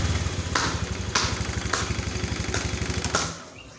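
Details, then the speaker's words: Honda Vario 150 scooter serviced for low power: throttle body cleaned and reset, weak 11.6 V battery so kick-started. Steady idle with five crisp throttle blips that rise cleanly and drop back without bogging; normal revving. "Saya akan melakukan pengengkolan dan ini sudah enak guys bisa kita dengarkan Setelah itu kita akan bler gasnya Apakah ngisi atau ngempos"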